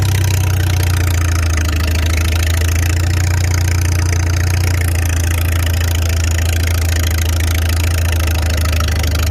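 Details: Farmall 300 Row Crop, 600-hour tractor, test drive after exhaust manifold replacement (original rusted through) and clutch adjustment, camera on chest rig; deep, even, steady drone with smooth low rumble, no knocks or misses; running healthy, TA working.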